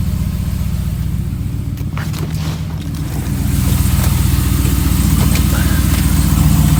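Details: 2015 Ram 5.7 Hemi V8 with long-tube headers, almost 18k miles, idling: light fairly regular knock, about two to three per second. Recently started, less noticeable after warm-up. Possibly piston slap or lifter tick; unconfirmed.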